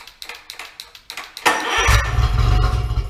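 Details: Cheap outboard motor found abandoned under a barn, mounted on a homemade engine stand: a few quick pulls, then it catches and settles into a steady, even putter; it starts and keeps running.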